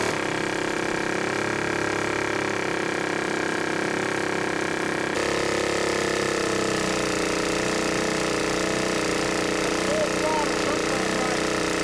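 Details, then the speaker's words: Outboard motor on a boat, running unevenly with a sharp tapping around three times a second; it had bogged down and quit and doesn't seem to reach full RPM. The cause of the tapping is unknown. "I mean you hear that tapping I mean you hear it I don't know what that is I never heard that before so I need some help with that"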